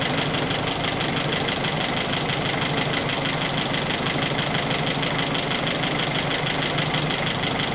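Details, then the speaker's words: 1961 Triumph TR3A at idle after fitting a replacement Pertronix distributor with integrated electronic ignition; steady, even idle, a quick regular beat of about three pulses a second, no misses; timing spot on at four degrees, mark stationary at top dead center. "that was easy it was spot on right away so if you can see the timing mark stationary um where it should be at top dead center that means that your timing's right and we are exactly at four degrees"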